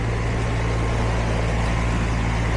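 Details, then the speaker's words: HVAC outdoor unit turned on at the thermostat after fixing a low-voltage short (white wire not connected to the air handler's low-voltage wire) and replacing the fuse; the line is getting hot. A steady, even hum with fan rush and no knocks: normal running. "So our outdoor unit is running. That line is getting hot."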